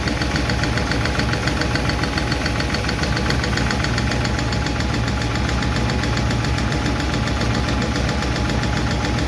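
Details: 1951 Chevy truck engine at steady idle after starting, with light, quick lifter clicking that keeps pace with engine speed; number 4 intake and number 2 exhaust are still clacking, number 2 intake seems okay; owner plans to tweak those two.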